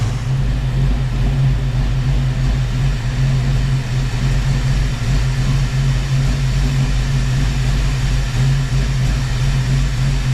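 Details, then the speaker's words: Fox body Mustang V8 at idle: steady, deep idle with a faint puffing tick underneath; an exhaust leak from a loose header bolt. "I hear the exhaust leak I didn't know I had um and found a loose header Bolt but I'm here right now so I guess we'll move on from that one"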